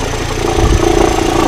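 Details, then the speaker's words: 2013 Kia Forte Koup, 171,000 miles, cold engine, in gear with A/C on, heard from outside the car: a deep, uneven throbbing rumble like a vibration. The wobbling A/C compressor pulley is suspected; the A/C compressor and water pump pulley were replaced. "see you can hear that noise now now while we're outside trying to determine where it's coming from is difficult"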